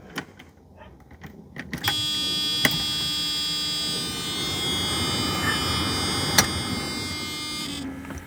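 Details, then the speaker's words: Electric radiator fan conversion, key on and failsafe switch under dash flipped: a click then steady whirring hum at full blast; fans running properly, engine not yet started. "if I turn the key on and I flip that switch under the dash the fans should turn on full blast"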